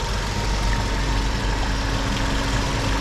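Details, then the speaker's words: Hyundai H1 G4KG engine, about 365,000 km, being checked for blown head gasket; loud steady idle with fine metallic rattle from top; mechanic suspects worn chain guide, metal on metal; timing chain rattle from worn chain guide. "yung chain sa chain baka ubos na rin yung ano ubos na rin yung guide nagme metal to metal na"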